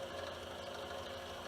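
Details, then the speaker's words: Repaired DeWalt saw, tripod-mounted, run up to wide-open speed before cutting. Smooth, even, fast buzzing with no knocking or rattles, only the expected noise. Repair successful and running normally. "you'll notice that we're not picking up any noise other than what we would expect. There she is, wide open."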